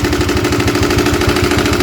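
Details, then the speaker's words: Honda CB150R, 2016 or 2017, idling: loud steady clattering tick about seven to eight knocks a second, possibly from the head or camshaft, which fades when revved; cause suspected, not confirmed. "Nah seperti ini suaranya ya kalau di audio handphone enggak tahu suaranya jelas atau tidak ya tapi kalau langsung di lokasi itu Suaranya benar-benar berisik banget benar-benar berisik nih ini kondisi stasioner"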